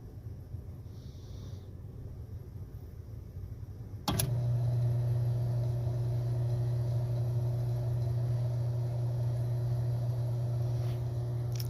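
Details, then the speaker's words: HVAC exhaust fan motor, removed and run unloaded while still warm: switches on and settles into a smooth steady low hum, no grinding or bearing noise; draws 6.5 amps, normal unloaded running. "right well with no load on it we're pulling six and a half amps which is right where it should be"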